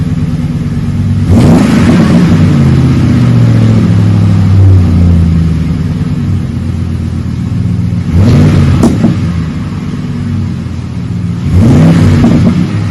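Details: 2008 Ford F150 5.4 V8 with a new cat-back dual side exhaust, 3.5-inch stainless tips, Magnaflow single-in dual-out muffler and factory cats: deep smooth idle burble rising cleanly on revs, no rattles or leaks; healthy, mild tone.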